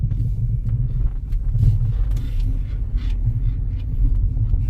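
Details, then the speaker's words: 2005 Lexus RX330 3.3L, 229k miles, driving over a rough road: hollow, irregular clunks through the road rumble on each bump from badly worn strut mounts, all in the rear and some in the front; front control arm bushings also worn. "yeah see it's really bad that's all strut mounts in the rear and some in the front really bad"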